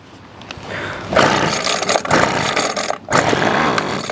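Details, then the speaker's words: Weed Eater Feather Lite SST25 25cc two-stroke trimmer, hard starting in over-100-degree heat: on starting fluid with choke open it revs raggedly then dies, confirming a fuel issue; carburetor to be addressed. "see that ran and died so we know that is a fuel related issue"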